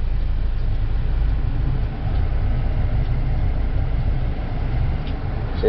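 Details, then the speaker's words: 2012 Buick Verano after replacing the blower motor, which sometimes would not blow: steady, deep rushing drone on high speed with no squeal, rattle or wobble; the new blower motor works fine. "okay looks like it's working hopefully you can hear that that's high speed"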